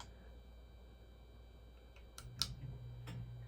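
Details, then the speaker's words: Hunter Original ceiling fan after replacing its broken pull chain switch. Switch clicks, then a low steady hum builds as the fan starts on low speed and runs smoothly. Works fine after the repair. "yes she does have a new pull chain in her so it she works just fine"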